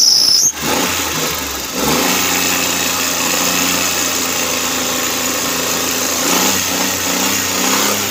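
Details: Suzuki Cultus carbureted petrol engine with misfire and stalling after 10–15 minutes warm, after fitting a new CDI and a Japanese ignition coil: a steady, even idle with a low hum and no stumbles or dropouts, normal idle.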